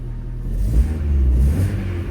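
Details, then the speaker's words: Opel Astra H running on its original ignition coil after a faulty replacement coil was removed: engine picks up and holds revs smoothly with an even steady beat; runs much better, misfire gone. "Значно ліпше машина працює за рідною катушкою, ніж з тою, що була. По звуку мотора мені вже подобається ця машина."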